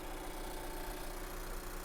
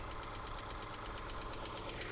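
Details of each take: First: Scion iA idling at an auction lot walk-around. A quiet, even low hum with no misses or knocks, a smooth healthy idle with slight engine shake; mounts are suggested as an easy fix. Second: Mazda 3 with SkyActiv-G engine: light, even ticking about three per second over a smooth idle; source not pinned down, hoped to clear with hard driving; engine ticking at idle.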